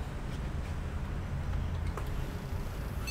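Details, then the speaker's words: PC failing power-on self test in a boot loop, fan not spinning: low steady hum in a quiet room, then one short high beep as it restarts; owner suspects the Kingston RAM, not confirmed. "Okay, I'll disconnect the cable for HDMI. She'll come back to the GoPro, and it's on a boot loop."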